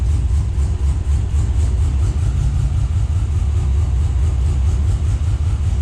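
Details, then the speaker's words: Scout 80 with junkyard LQ4 6.0 V8 swap, first start: deep, lumpy idle with uneven low pulses and a stumbling beat, missing on several cylinders; owner believes injectors are sticking. "so i believe we've got a few injectors that are sticking"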